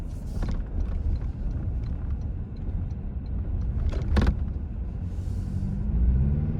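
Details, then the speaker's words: 2025 Toyota Tacoma TRD Sport (4th gen), in-cab while driving over bumps; low road rumble with sharp clacks and rattles, loudest from an owner-added tray behind the screen, plus shifting headrests: interior rattles over bumps. "First of all, the ones that you can hear the loudest there were actually the behind the screen tray that I have in my truck, and it's where you guys are mounted."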